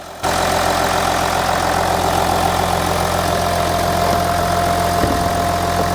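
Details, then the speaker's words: Audi Q7 3.0L diesel after the cylinder 4 injector was replaced, curing the combustion leak and P0272 misfire, no codes: a smooth, even diesel idle with steady clatter and no miss; normal idle. "the engine sounds great we no longer have the uh combustion leak that we had over here on cylinder number four the engine sounds a lot better"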